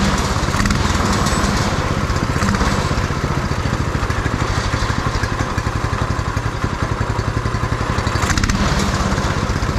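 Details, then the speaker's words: Beater go-kart's small single-cylinder engine on a swapped carburetor, first run with fuel tank not yet bolted in: slow, slightly uneven idle thump with heavy shaking; runs fine and sounds all right, idle just slightly low. "Well, she runs. Idle's a little low. Does it stop easy? Sounds all right."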